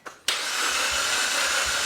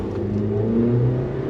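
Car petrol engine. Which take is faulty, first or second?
first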